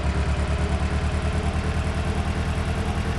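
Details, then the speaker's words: Engine idling lumpy with a deep uneven thump about three times a second: misfire on cylinder 1, codes for cylinder 1 misfire and injector 1 circuit (P0201), cause traced to the injector. "I test it to verify the customer complaint. You can hear the engine is misfiring."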